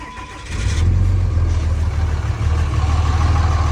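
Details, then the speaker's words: 2006–07 Cummins 5.9 diesel truck, first start after sitting, check engine light on for the grid heater: cranks briefly and catches within half a second, then settles into a steady, even low idle with no misfire; a healthy cold start. "fires right up it's probably wondering why it's not in Arizona"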